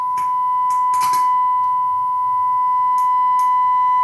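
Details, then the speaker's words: Gallien Krueger 400RB bass amp under test tone: steady tone broken by short bursts of crackle and hiss as the boost control turns; scratchy, dirty boost potentiometer needing cleaning. "some static there so the boos control would be our first culprit"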